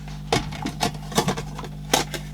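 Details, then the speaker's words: Philips AQ6519/00 auto-reverse Walkman with leaked-battery corrosion: in tape mode, a few sharp irregular clicks as if the switch is pressed, but no motor whir; tape drive motor not running, cause unconfirmed. "am I on tape mode I think so it's making noises no motor action sounds like the switch is being pressed"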